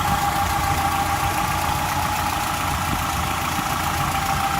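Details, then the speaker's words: 1995 Nissan D21 Hardbody pickup after crankshaft seal repair; valves clattered briefly at first start after sitting without oil, now even, smooth idle with soft steady beat, no knocking or clatter; normal idle. "Well, there she is, purring like a kitten."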